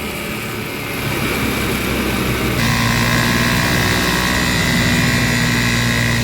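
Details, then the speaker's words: Honda Beat FI scooter run completely dry of oil, first start after oil change: loud, rough running with steady mechanical drone and white smoke; worn internals from oil starvation suspected, not confirmed. "たとえ始動したとしても、エンジンは通常このように煙を出します。さらに、大きな音がします。"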